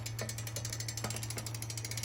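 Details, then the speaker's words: Super73 ZX e-bike: steady hum with ratchet-like clicks in bursts roughly every half second; owner suspects the bearings are going, unsure if they need grease. "i don't know whether you're supposed to grease these i'm going to contact super 73 and see what's going on with that but yeah it definitely sounds like the bearings are going"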